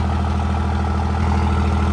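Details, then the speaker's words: 2nd-gen Dodge Cummins diesel after full engine rebuild, first startup on fresh oil: steady, even idle with smooth low rumble, no taps, knocks or misses; a little fuel pop noted, valves still to adjust; healthy idle. "But she's sounding good. Sounds smooth."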